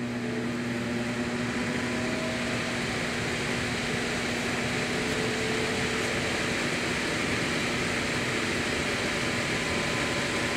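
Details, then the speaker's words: Air handler after fitting a new blower motor: even rushing airflow with a faint steady hum, no scraping, rattling or wobble; correct rotation, heat strips on, running properly. "that was much better and we're going the proper rotation as well that's nice too"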